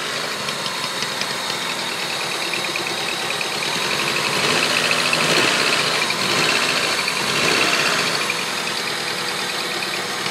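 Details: Honda Civic D16Z6 with replaced head, valves adjusted, timing belt correct: fast light ticking at idle seemingly from cylinder 4, quieter with plug or injector removed, faster at high rpm, absent when cruising; cause unknown.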